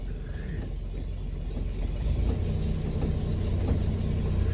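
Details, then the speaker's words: Daimler limousine parked since 1990, first running after 32 years: low, even idle rumble that settles steady after a slight rise, with no stumbling or knocks; now starting fairly reliably and idling nicely. "It seems to be starting fairly reliably now, idling nice."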